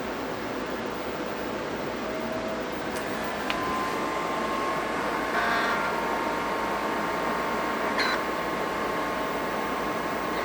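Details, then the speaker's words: Leading Edge Model D computer with a Miniscribe hard drive: steady whine over a light hiss with odd clicks, loud operating noise typical of these drives, with no definite fault pointed to by the sound. "these Min scribe drives have a long reputation of sounding awful"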